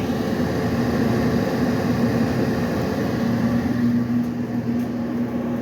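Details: Dryer run-tested after repairing its squeaking, rumbling or grinding noises, before the panels are closed: smooth, even drum hum with a steady motor tone and no grinding or thumping; the noise is gone.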